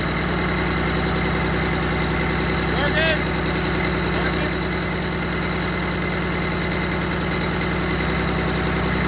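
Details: Cummins diesel in a burnout truck build, first run after assembly: steady idle with fast light metallic chatter about four per second; owner thinks the gears are chiming, unconfirmed.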